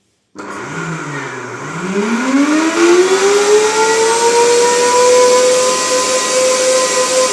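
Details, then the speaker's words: Vacuum cleaner motor spins up with a steeply climbing whine, then holds a steady high hum over rushing air; an abnormal noise it didn't make before, with a burnt plastic smell; cause unclear. "این صدا میده خدا؟ قبلا اینجوری نبود."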